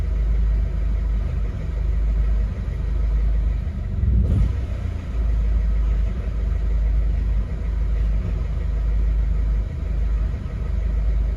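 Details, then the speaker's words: 2011 Mercedes Vito 113 CDI, OM651.940 common-rail diesel; idles fine until a brief rev, then on returning to idle runs rough with a low uneven wandering rumble, to the point of stalling; owner suspects faulty fuel pressure control valve. "soon as I give it a little bit of revs and it comes back to idle that's when the fan starts"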